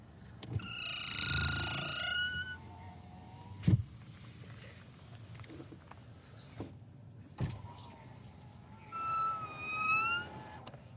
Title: Скрип стеклоподъёмников (window lifters creaking) Nissan Sentra B18, 2024.